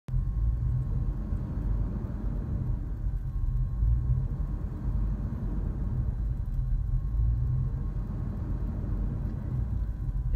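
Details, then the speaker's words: 2004 Dodge Durango 5.7L Hemi V8 with a low, lumpy, unsteady rough idle, not only cold but any time in park, not while driving; idle sometimes rises to about 1,500 rpm. "is what my car has been doing at an idle not just on a cold engine but anytime at a park not during driving though sometimes it goes up to the 1,500 rpms"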